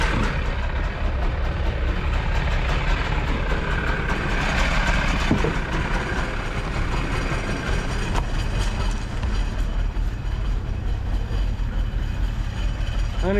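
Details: Jet boat engine with freshly rebuilt carbs, on a water hose: continuous low rumble holding steady, no stumbles or misfires; running smoothly.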